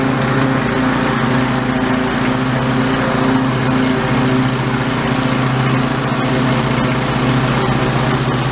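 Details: Old OHV Briggs single-cylinder on White LT1300 lawn tractor, repaired after pop, rattle and clang failure, test mowing: steady even note, no misses, knocks or hunting; normal running under load.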